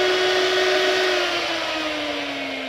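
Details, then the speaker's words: 2002 Mini Cooper S R53 radiator cooling fan after repair of sticking fan bearing that caused overheating, tested on speed one then speed two: steady clean whirring hum easing slightly lower in pitch, no rattle or scrape; fan working normally. "all right so hunky door all working"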